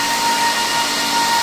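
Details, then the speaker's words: HP ProLiant rack server, possibly a G7 model, with the amber light flashing for failing fan number five: a constant high-pitched whine rides over steady fan rush, from a failing cooling fan. "so the problem i can show you real quick is one of the fans is going bad so the amber light is flashing"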